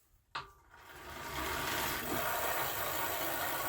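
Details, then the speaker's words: New triathlon bike, rear wheel spun by hand: dry, steady rasping rotation noise from the rear hub bearing, noisier than near-silent front, no play; likely needs regreasing or new bearings. "The rear wheel though, there's definitely some noise from the bearing. Um, didn't notice it so much when I was riding it."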